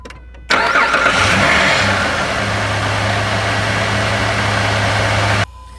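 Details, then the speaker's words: Jeep just after power steering pump replacement, at the first start: a clean start settling into a smooth, steady idle with an even hum and no whine or knock. Sounds healthy. "sounds good so far run it through its paces a couple more times and we should be all set"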